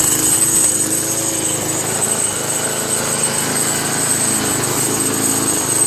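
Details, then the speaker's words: Free Craftsman Eager One 4HP Tecumseh 20-inch push mower after carburetor replacement: steady single-cylinder drone with a thin, buzzy metallic rattle. Owner suspects a small, thin sheet-metal bracket vibrating inside; cause not found. "no no what that damn noise is from never heard it before you guys know what that noises anyway writing in the comments if you guys knows what that noises it's a car like a metal small little metal thin bracket vibrating that's what it sounds like"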